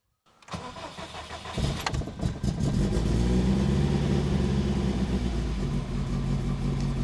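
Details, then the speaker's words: Subaru GC on first start with a new engine, far from fully set up: cranks and catches, then a lumpy idle with an uneven pulse of about four beats a second; oil pressure, coolant temperature and fuel pressure read fine; rough idle. "And uh don't be alarmed by the way the car starts and idles. It's again far from far from ready, far from perfect."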